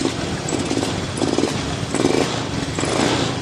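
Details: Honda Scoopy new ESP fuel-injected scooter with lagging throttle, sputtering and no electric start: the engine surges in uneven bursts instead of picking up cleanly.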